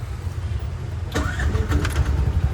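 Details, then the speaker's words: Auto rickshaw just after starter motor repair, which previously started hesitantly: short crank, then the engine catches at once and settles into a low, even idle; sound expected to change slightly as the new parts bed in. Normal starter cranking and start. "Start ಆಯ್ತು so ಹೊಸ ಹೊಸದಲ್ವಾ ಸ್ವಲ್ಪ ಒಂದಎರಡು ಎರಡು ದಿನ ಹೋದ್ರೆ ಸ್ವಲ್ಪ ಇನ್ನು ಸ್ವಲ್ಪ sound ಎಲ್ಲ ಚೇಂಜ್ ಆಗುತ್ತೆ ಇವಾಗಲೂ ಚೆನ್ನಾಗಿ ಸೌಂಡ್ ಬರ್ತಿದೆ"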